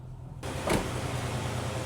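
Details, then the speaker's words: 2003 Nissan Frontier after fixing a vacuum leak, restarted while hot: catches and settles into a low, uneven, shaking idle with faint stumbling beat; code P0304, cylinder 4 misfire, no check engine light. "You hear it misfiring? Now that I've restarted it while it's hot, it's shaking."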